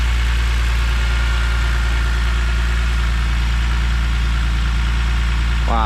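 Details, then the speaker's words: E46 BMW M3 first start after a failed CSL airbox dropped pieces into a cylinder, redesigned airbox fitted: steady even idle rumble with faint light valvetrain tick, sounding normal, no knocks; healthy. "all right it's running it's running so far uh nothing uh OD I'm hearing valve TR valve train seems [Music] uh bit um have a normal [Music]"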